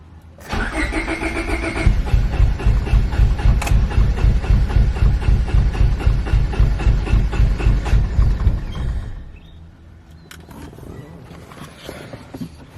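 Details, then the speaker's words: Honda Civic B20, first start after welding a hole in the block, fitting a sandwich plate and a new sump gasket; it had not run for two weeks and the battery had been flat. It cranks evenly about four beats a second but won't fire; no fuel is suspected. "have to check but it sounds like there's no fuel so let's see"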